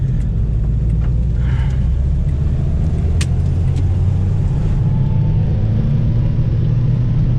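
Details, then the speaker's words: Renault 4L with prepared 1108 cm³ Cléon engine after head refit, in fourth gear climbing a hill at a held 75 km/h: low, steady, smooth exhaust drone, deeper than before, owner thinks from more intake air; healthy engine under load. "ça s'entend au pot d'échappement le bruit est plus sourd et plus rock ça je pense que c'est dû au fait qu'ils aient plus d'air qui soient aspirées"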